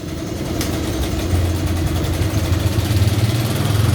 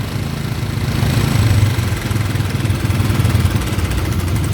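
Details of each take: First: Honda Kharisma motorcycle after fuel tap replaced (faulty tap let fuel be sucked through the intake manifold constantly, fouling spark plugs): small single holds a steady even idle with no throttle, no stumbling; normal idle after repair. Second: Honda Karisma motorcycle with a leaking fuel tap that lets fuel be sucked from the intake-manifold port, flooding the carburettor, unstable idle: a single-cylinder thump that surges and sags and won't settle even after idle adjustment.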